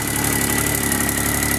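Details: 1990 Geo Metro 1.0L three-cylinder, almost 22 years old, cold start: steady, even putter at idle with a faint high whine on top, no knocks or misses; engine runs perfectly, normal idle.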